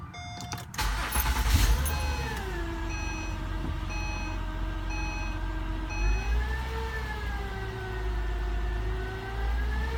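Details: 2009 Acura TL 3.5 base: engine whine/whirr whose pitch climbs and falls with RPM during acceleration, started about two days earlier, getting whinier with increased RPM.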